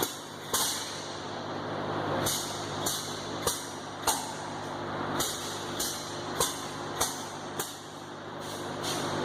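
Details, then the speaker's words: Air-brake vehicle, brake pedal held and key turned on: about a dozen sharp air chuffs over nine seconds from the brake valves. Normal ABS valve self-test. "and then we need to listen for the valves to start their chuff test."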